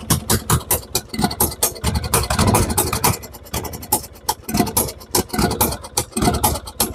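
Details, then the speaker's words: Lawn tractor with freshly rebuilt single-cylinder engine, new battery, starter and plugs, jump-started with a booster: runs but idle surges and sags in uneven bursts; owner will tighten the accelerator rod, which keeps jumping. "Bon, le moteur a démarré, il tourne bien. Encore un petit peu des problèmes au niveau du ralenti."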